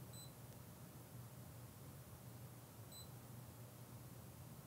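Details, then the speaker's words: Fluke ScopeMeter 125B in recorder mode logging thermocouple temperature with event threshold off: two short, high beeps about three seconds apart over quiet room hum, each marking a new minimum or maximum reading. "Notice I have changed event threshold to OFF, which means that now anytime there is a new minimum and maximum, you'll hear a "beep." We'll press DONE and then F4 to run. So you hear the beeping every time there is a new min and max."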